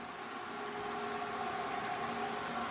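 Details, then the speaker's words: 1986 Chevrolet Silverado 4.3 V6 with new aluminum radiator, engine switched off: the electric radiator fans keep running with a steady even whoosh and faint hum; normal electric cooling fan operation. "Uh I'm going to go over here and I'm going to turn the truck off, but I'm going to let the fans keep running."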